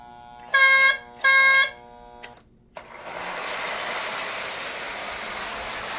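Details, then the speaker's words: Lionel 2032 Erie FA-1 locomotive after wiring repair and a fresh horn battery, test run on the track with the shell on. A couple of short beeps, then a steady, even whirr and track rumble with no stutter or dropouts; it runs well. "yep she's running well"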